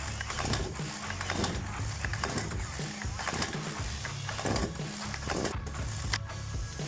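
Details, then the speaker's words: STIHL KM 56 RC-TC Kombi engine, primed, pulled on choke then choke off: several ratcheting recoil pulls with no firing; exhaust didn't sound right, no-start. "See if we're clogged up because that didn't sound like it was coming out too great."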